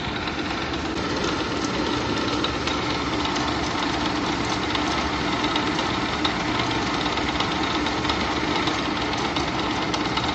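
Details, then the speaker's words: 1980s Clausing-Colchester 15x50 lathe on first run after 240V single-phase conversion: steady whirring rattle at constant spindle speed with mild gear-mesh growl; belt slightly loose, oil pump working, chuck jaws running out. "Little bit of gear noise."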